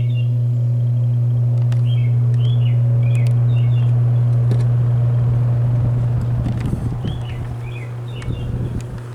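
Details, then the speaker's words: Roughly 60-year-old GE 20-inch box fan, model F17W12, original cord, starting on low speed: a steady low hum rises smoothly and stays even with no rattle or scrape; normal startup. "just sounds like a like a solid Great Piece of a Machinery starting up and it is this was probably one of your top-of-the-line more expensive box fans to get at that time"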